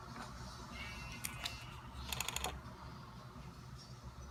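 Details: Tamron 70-200mm G2 lens: faint hum with quick ticking clicks and a short burst of rapid ratcheting; owner unsure if normal; lens mechanism ratcheting noise.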